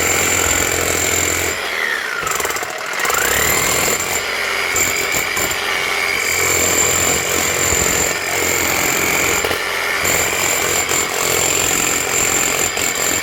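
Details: Bosch GBH 8-45 D rotary hammer after cheap repair of failed needle bearing and fan: fast hammering rattle over a high rough gearbox whine; runs, but worn gears make it noisy.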